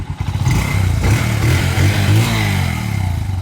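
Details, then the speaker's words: Motorcycle revving after the clutch housing and driving gear were replaced: low even engine note climbs and settles with the throttle, no clatter or grind. It now runs well. "Arangkada mo nga bossing. Baba mo, arangkada mo. Maganda na yung andar."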